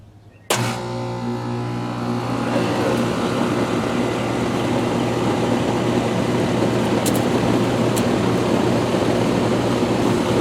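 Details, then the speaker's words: Rheem Classic central air condenser, first startup of 2022, baking in the sun on a warm day; sharp kick-on then steady fan rush over even compressor hum, no rattles or knocks, sounding as it always has; normal running. "It sounds now, while I didn't hear the startup, I'll hear in the video, but it sounds now how it always has. So that's a great thing."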